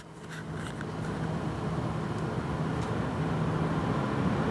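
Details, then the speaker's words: Gelid Liquid 240 Ultimate AIO CPU cooler fans at 100 percent speed, mic tipped toward them; airflow rush builds to full speed with a faint low steady hum; reviewer suspects a failing bearing in one fan. "so there you go now yeah there is a bit of a ham coming from one of the fans I believe one of the bearings might be going in one of the fans"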